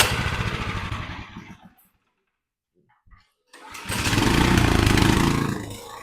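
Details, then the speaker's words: Troy-Bilt tiller engine, rust in the gas tank, at low idle. Uneven chugging that fades almost out, then recovers; it sounds fine at higher idle. Owner suspects a jet and plans to adjust the idle. Rough low idle that wants to stall. "it's got like sort of like a low idle, like it wants to die some of the time."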